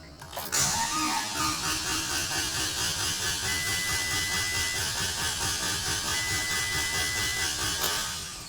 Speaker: so the engine is not spinning fast enough to get the ECM to say hey it's okay to start